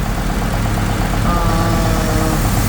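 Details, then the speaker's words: New replacement Ford engine idling with a misfire on cylinder 3: slightly uneven idle with a faint whirring noise heard from cylinder 1 on both right and left sides; suspected camshafts or timing chain, not confirmed. "está haciendo un ruido m Yo lo escucho entre el cino número uno de aquí para acá del lado derecho y también se escucha al lado izquierdo"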